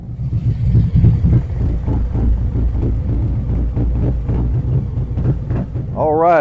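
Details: 2023 Harley-Davidson Street Glide ST Stage 2 (CR483 cam, Bassani header, ThunderMax) on cold-day road test: deep lumpy V-twin pulse pulling cleanly through the revs, no knocks or rattles; rider reports it needs nothing, healthy running.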